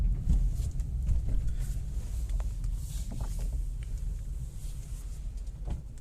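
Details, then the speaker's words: Hyundai Grand i10 petrol, in-car road test after replacing a humming manual gearbox with a used unit; old gearbox likely ran without oil: steady low road rumble, no whine, hum or clunks; quiet manual gearbox. "कोई आवाज नहीं है gear भी सारे shift हो रहे properly सब"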